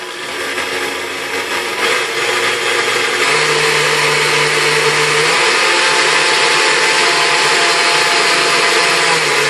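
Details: KitchenAid model 3C stand mixer after restoration with replaced field coil and armature (it had only hummed and smelled burnt; armature likely failed and overheated the coil): steady, even motor hum with smooth high whir, no knocks or grinding; normal motor run.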